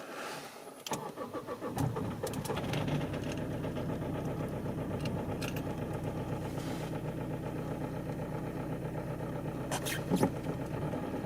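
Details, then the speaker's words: Toyota D4D diesel after replacing four faulty injectors and camshaft-cover seals, injector compensation codes programmed with a diagnostic tool: cranks, catches and settles into an even diesel idle clatter. Owner first doubted the noise, then judged it normal. "Bon, apparemment le bruit est normal. Bah, j'ai plus qu'à remonter maintenant le dessus."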